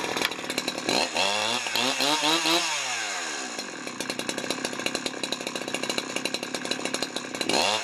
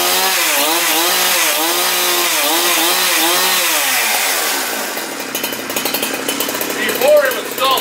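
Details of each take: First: Husqvarna 372XP chainsaw, Walbro carburetor rebuilt with China parts, warm after cutting wood, just leaned out: revs sweep up and drop, low-speed run ragged and stumbling instead of clean idle; low-end bogging, cause not confirmed. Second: Husqvarna 372XP chainsaw, which had stalled when warm, started after a Walbro carburetor rebuild with the L screw set at 1 1/4 turns and the carb dry. The two-stroke revs in wavering surges, then settles to a steady idle and keeps running fine.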